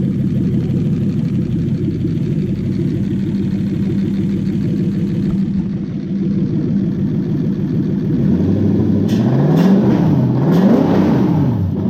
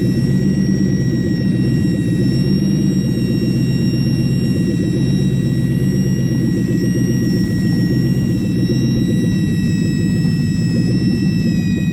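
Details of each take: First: Toyota 1UZ-FE V8: holds a smooth, even idle, then is blipped in a few clean rises and falls with no knocks or misses. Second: Toyota 1UZ-FE V8 at idle with a secondhand intake manifold just fitted: steady high-pitched whistle over the exhaust rumble from air sucked past a leaking intake manifold gasket, located by spraying brake cleaner.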